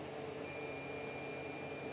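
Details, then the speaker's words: CR-10 3D printer after fitting a Noctua hotend fan and stepper vibration dampeners, during a print: faint steady whine from the Z-axis stepper over the even hum of the control-box and part-cooling fans, the only remaining noise. "of course the fans from the control box and this part cooling fan those he can hear as well"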